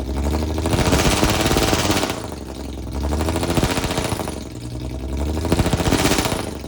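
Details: Cheap Jaguar with a suspected failing transmission and a welded differential, during a burnout attempt: repeated rev surges that never climb high, as if capped; the engine is held back in failsafe (limp) mode.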